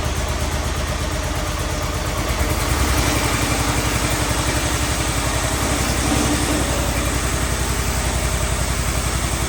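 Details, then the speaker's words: Cub Cadet 1211 with Kohler single, first test run after Cyclops 30mm hydrostatic transmission replacement: steady, even idle thump, unstrained; the new transmission still creeps and needs adjustment. "A little bit of creep to get out of it. Just to make sure everything's about right."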